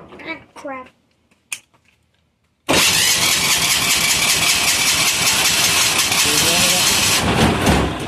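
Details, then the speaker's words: Amazon 186FA single-cylinder diesel on filtered waste vegetable oil, previously run out of fuel, likely air pocket in the system: slow to catch after cranking, then fires into loud rapid diesel clatter. "to take a second to start because we ran it out of fuel and there's probably an air pocket in the system"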